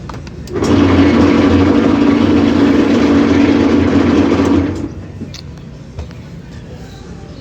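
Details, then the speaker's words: Maytag washer during spin cycle makes a loud steady drone with low hum and fast regular beating, then drops away; owner complains of excessive spin noise, another technician blamed bearings, not confirmed. "una lavadora maita que está la trajeron a reparar por qué dice el cliente que cuando cuando la pone cuando está exprimiendo cuando está en el spin hace mucho ruido"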